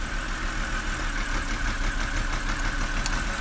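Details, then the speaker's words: 2007 BMW 325i E90 idling with one ignition coil unplugged to test: idle turns lumpy and uneven with loping beat, so that cylinder was firing and the coil works; no change would mean a bad coil. "So when you unplug it, you're gonna hear a different sound like that. And that's how you diagnose the misfires, because if you unplug it and it has this sound"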